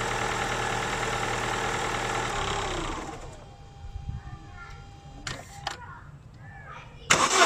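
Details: Holden Astra 2000 hard start: steady rhythmic cranking for about three seconds that drops away without catching; battery tested at 80% reserve capacity, crankshaft position sensor judged faulty from oscilloscope waveform, weak battery possibly contributing.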